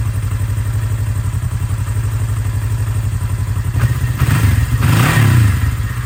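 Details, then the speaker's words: 1982 Kawasaki KZ305 twin, revived after 30+ years sitting with carbs rebuilt and synced, cold start after a few days, full choke; steady even low thrum, regular firing with a brief throttle blip — normal idle. "all right so cold start it's cold engine has been sitting a few days turn the fuels on choke all the way up start it"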